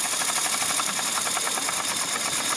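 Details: Mamod Quarry live steam locomotive (SM32, 16mm gauge), in steam at low speed adjusted by regulator: quick, even chuffs over light steam hiss, steady beat, no stutter; normal smooth running.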